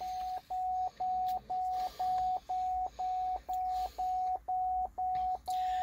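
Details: 2011 Cadillac STS salvage car at first start: even mid-pitched shift-to-park warning chime repeating twice a second without a break; the shifter unit is unplugged, triggering the warning and a code.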